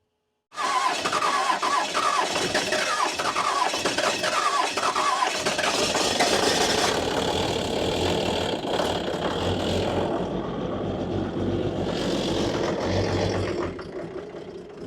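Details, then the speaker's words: 1994 Dodge Cummins diesel, sat for years, lift pump considered bad: steady cranking with a chirping pulse each half second, no firing; crank no-start, fuel system picking up air somewhere, fuel pump alternating between loaded and high airy sound. "Okay, stop. Yeah, it's picking up air because they're not shooting now. The fuel pump sounds like it's under load, and then it'll sound high like it's pumping air."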